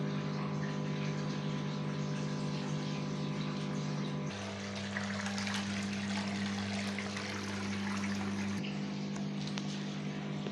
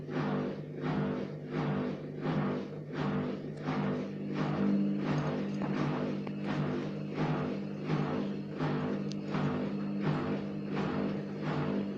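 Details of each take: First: Gorenje WA50060 washing machine, recorded 2017, during rinse drain: steady low hum with water gurgling and a brief pitch drop midway; drain pump emptying the tub normally. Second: Gorenje WA50060 front-loader: a steady low hum with soft, even thumps about 1.5 per second, heard only after the pump finishes draining, not during washing or spinning. Cause unknown.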